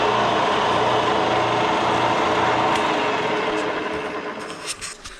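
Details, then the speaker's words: Bridgeport mill 2J head after a rebuild for a bad bearing, on a head with castings bent by a forklift: steady whirring with a faint rhythmic rub, then an even coast-down; a little noisy, but far better than before. "a little noisy but not near as bad as it used to be so let's get back to work"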